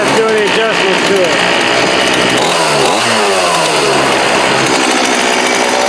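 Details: Homelite D3850B 18" chainsaw outdoors at about 19°F, after a new carburetor, fuel lines, fuel filter and spark plug: a loud continuous two-stroke snarl holds steady revs without sputtering or dying. Normal running.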